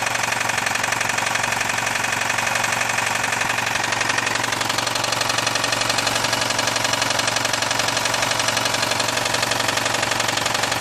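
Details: VAZ 2109/2115 engine at idle: sharp, regular metallic knocking about twice a second over the idle; connecting rod knock.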